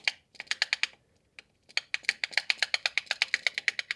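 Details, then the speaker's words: Lancia A112 Abarth 1050cc engine, distributor cap off, shaft worked by hand: sharp dry clacks, five to six a second, from excessive up-down distributor shaft play, believed source of engine's dieseling-like noise; brittle rubber gasket suspected. "This is very much the sound that I'm hearing, I think. I'm pretty sure that there's something wrong with the assembly, and I hope that it's the rubber gasket down there that is known to become brittle."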